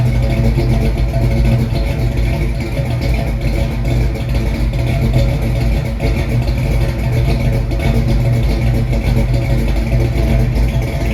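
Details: 1968 Mustang with a new 302 roller engine bored .030 over (306), GT40 heads, Z303 cam and C4 transmission: a deep, even V8 rumble at steady idle with no knocks, ticks or misses. A smooth, healthy small-block at normal idle.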